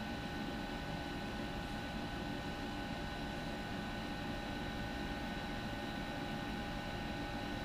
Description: This is my home made r600a, low temp, constant cut in condensing unit with 2 speed evaporator fan,auto defrost.